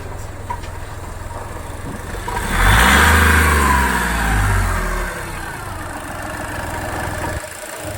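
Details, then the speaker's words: Skoda Fabia diesel with VW Polo engine that had died while driving and seemed to have no compression; started and held on the accelerator 5–10 seconds so injectors won't lock; raised revs steady and even, then smooth idle; normal revving. "पाँच से 10 second हमें accelerator पे रखना है, और फिर हम engine of कर सकते हैं, क्योंकि हमारे इंजेक्टर अब लॉक नहीं होंगे।"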